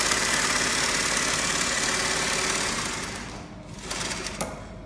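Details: Adler 69 arm industrial sewing machine, rebuilt: fast, steady, even clatter about three and a half beats a second with no knocks or binding; normal running.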